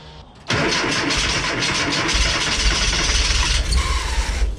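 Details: Subaru-swapped VW T3 Kombi after removed LPG system's cut wires reconnected and injectors cleaned: short crank, then catches cleanly and settles to steady even run without misfire.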